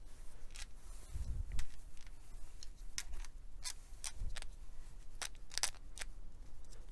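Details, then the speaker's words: RC car rear differential removed and turned by hand: dry, irregular crackles and clicks, rough rather than smooth; the diff is worn and is being replaced with a new one. "donc là on a notre dif on l'entend et craque un peu"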